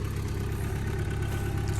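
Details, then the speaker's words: 1974 Ford Courier truck with 56,000 miles and an original Hitachi carb, electric fuel pump and no overdrive, idling at the turn of the key; even, steady low putter like a sewing machine, no misses or knocks; healthy engine. "runs like a little sewing machine like I said it has no issues doing 70 75 miles an hour"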